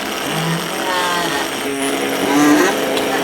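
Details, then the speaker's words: Older fuel pump run with an amp probe on the positive lead: a steady low electric whine with a rough, uneven buzz; it sounds kind of bad and worn but its current pattern is not too bad. "right it sounds kind of bad and the more i've run it just to take some screenshots of it it's still not too bad"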